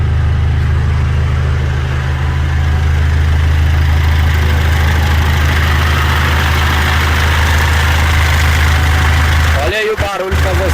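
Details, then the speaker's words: 2014 Mitsubishi L200 Triton 3.2 diesel, 254,000 km, noise worse when warm, idling: fast, uneven, intermittent rattlesnake-like metallic rattle from a worn timing chain slapping its guides. Fix: timing chain kit replaced. "barulho pare sendo uma cascavel um suai de uma cascavel isso aqui é o barulho da corrente comando Ó tem hora que para tem hora que faz"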